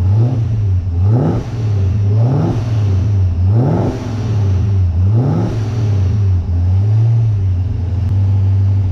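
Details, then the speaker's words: Holden Monaro, first run with full exhaust, warm engine: revs surge and sag about once a second instead of settling. The idle is fine cold at high idle but rough once warm; the owner suspects the tune. "all right still doesn't want to idle when it's warm but that must just be in the tune it's fine when it's cold and you've got that high idle speed and then as it warms up and the idle speed starts dropping it just starts running really rough and crap"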